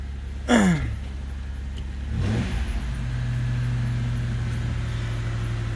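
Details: Chevy Venture with a crank-no-start from a faulty starter, started by tapping the starter: short crank catches, engine flares up, then settles into a steady, even idle; starts and runs.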